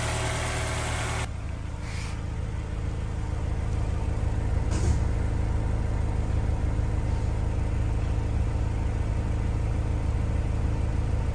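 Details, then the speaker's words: Honda S2000 with 200,000 miles, formerly misfiring on 3 cylinders, after spark plugs, valve adjustment and injector cleaning: smooth even low idle about three beats per second, no stumble; normal, warming up. "there we go this one should run a whole lot better we're going to warm it up look over the fuel trim make sure it's happy but that one sounds so much nicer he's going to be happy with that"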